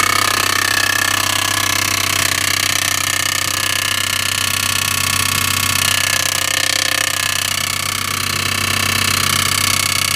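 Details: Audi A6 2.7T replacement used engine, noise appeared after 50 km, accessory belt removed: sharp regular metallic knock about four per second over idle; an engine backplate bolt had backed out and was hitting the flywheel backside.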